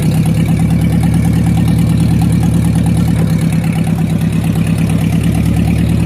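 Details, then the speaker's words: Ford 2N/8N tractor engine after valve adjustment, good oil pressure, some leaks: steady even idle with a light fast tick at about two per second; the top-end tick remains. "yeah we definitely got some leaps going on but I still hear the tickness oh well at least he runs all right"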